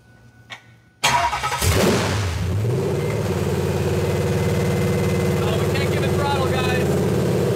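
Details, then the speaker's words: Junkyard supercharged Ford SVT Lightning V8 on a pallet, loud open headers, first start: it catches and runs rough and uneven, faltering and dying as soon as throttle is applied; cause not yet found. "as soon as i give it throttles when it dies"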